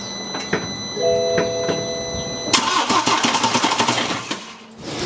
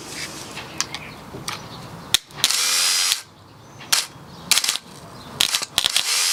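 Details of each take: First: 2013 BMW F31 318d diesel after fitting a replacement starter from a same-engine car: dash chimes, then brisk, even cranking with quick compression pulses, much faster than before. Not started because the crank pulley and oil seal are off. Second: 2013 BMW F31 318d diesel starter jumped with 12 V: short bursts of high free-spinning whir with no engagement clunk. The pinion gear spins but never pops out, pointing to the solenoid as the cause of the slow or no cranking.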